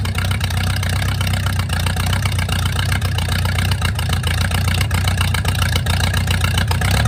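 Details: Mercruiser 470 3.7L marine four-cylinder, first run in 16 years after fuel reached the carburetor; steady even low rumble with regular beat about four per second. Automatic choke not working properly, owner suspects his wiring. Normal idle.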